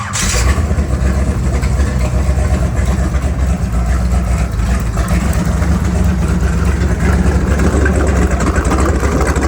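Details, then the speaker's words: Seeker Craft boat inboard engine run just after a Berkeley jet pump install, with no water supply (pump needs none). It starts quickly and runs evenly with no noise or vibration: a successful install. "Definitely a success. No noise and no vibration."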